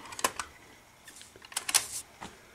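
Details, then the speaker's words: 1989 Pioneer CT-1270WR double cassette deck after belt replacement and head cleaning: crisp mechanical clicks and soft clunk as the auto-reverse head turns over; both heads flip properly, normal direction change. "when you switch Direction see how the tape head just flips over pretty cool so and both of these are working the same way yeah both heads are flipping around properly so"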